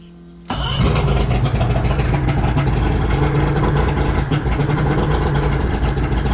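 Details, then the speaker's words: Mercury EFI outboard, engine not hot, after cleaning the MAP sensor with spray, very smoky with the temperature warning beeping: catches after a brief crank and runs loud, uneven and stumbling; rough running, cause not found. "It's pretty smoky. It just doesn't sound right."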